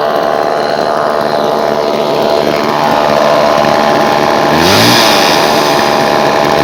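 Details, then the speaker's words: Homelite Super 2 chainsaw, revived with fresh fuel, primed and adjusted carburetor, chain tightened: loud, steady buzzing two-stroke run with even beat, no stumbles or misses; earlier idled 20-25 minutes without dying; running cleanly. "She just idles right along. I just let it sit and idle outside in the grass for like 20-25 minutes earlier. Didn't miss a beat."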